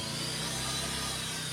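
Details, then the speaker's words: Scooter after replacing a set of aftermarket CVT parts: the earlier noise is gone, but a steady thin whine remains over the engine hum. It is attributed to the crankshaft bearing, a separate problem from the CVT. "ada suara The Sing itu dari lahar keruk as guys jadi beda masalah lagi sama bagian CVT"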